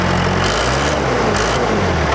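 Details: Case 550 dozer first start in years after sitting a long time; steady low diesel chug with even firing, no knocks or misses: normal healthy idle.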